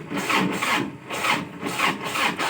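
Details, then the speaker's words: Tractor that starts hard as if the battery were weak, despite a new battery: slow, labored cranking at about two and a half strokes per second. Weak starter motor. "สตาร์ทอย่างนี้นะครับเหมือนกับไฟแบตเตอรี่ไม่พอสตาร์ทแบบนี้นะครับประมาณ5ครั้งหกครั้งนะครับไฟมันก็จะหมดนะครับ"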